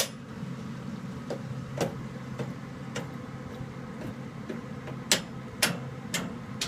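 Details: Home furnace running: sharp, uneven clicks about twice a second over a low hum, with shaking felt near the pipes or valve; the owner cannot tell which, and the cause is unknown.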